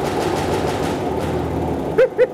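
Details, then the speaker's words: Stuart Turner P5M two-stroke single-cylinder inboard motor in a 1958 Windermere launch, first start after revival: quick, even popping at a steady beat with no misses or knocks; smoky but running cleanly. "Well, I reckon that works nicely! It's quite smoky, but it is a two stroke. But listen to that. That is really rather lovely."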